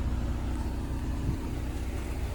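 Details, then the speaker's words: 1996 Integra with a swapped engine and automatic, bought for $500 as a non-runner and now running: a low, even, quiet idle with no knocks, ticks or misses; normal healthy idle. "That's how you save an Integra. Y'all hear that? God damn, that's quiet."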